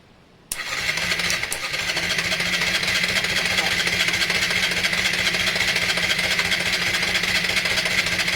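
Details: Honda Varadero 125 first start attempt, jumped from a car battery, cloth over intake, starting spray used: steady even cranking for several seconds, never catches or fires; no-go, choke position uncertain, cause unconfirmed.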